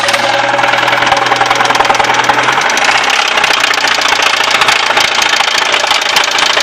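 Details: Audi 80 B4 engine running steadily with a fast, slightly uneven knock, about three per second, over the idle. Engine knock, source not pinned down.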